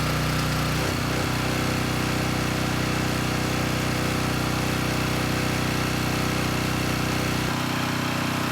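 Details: Coleman Powermate Pulse 1850 generator, about 23 years old, after fuel-system and carburetor repair (previously ran rough). A steady even engine note at constant speed with no hunting, surging or missing; normal running, engine sounds good.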